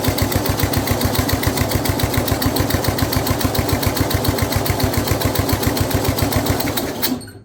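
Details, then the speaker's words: Older Snapper rear-engine rider mower with Briggs 12 HP IC engine, abandoned for years, runs at fast idle with throttle held by hand, no choke hooked up, blade engaged; a steady, even single-cylinder putter with no knocks or misses, quiet despite a rough old muffler; normal running. "But as far as will it run? Yeah, it runs. And the engine sounds really good and really quiet with that very disgusting muffler on it"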